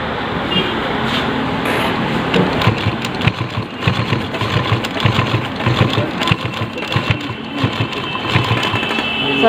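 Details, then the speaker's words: Sewing machine stitching 4–5 layers of thick cloth (jeans/pant fabric) after replacing a duplicate needle with an original Organ-brand needle; quick, even stitching clatter with no snags or skips, and the thread no longer breaks. "देखिए हमने इतना सिलाई कर दिया और ये आपका सिलाई बिल्कुल सुंदर है और ये कहीं भी मशीन धागा नहीं काटी है।"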